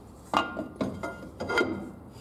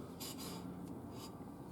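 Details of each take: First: 2006 Scion xB rear drum brake, new drums and Brembo shoes after Centric shoes wore drums in 6,000 miles, drum turned by hand after adjusting and centering with handbrake: short scraping rubs fading between strokes; slight shoe-to-drum rub, judged acceptable. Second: 2006 Scion xB rear drum brake, new drums and Brembo shoes replacing Centric shoes that wore out in 6,000 miles, drum turned by hand: quiet light scrape coming and going; very tiny rub, handbrake six clicks and firm, adjustment judged about right.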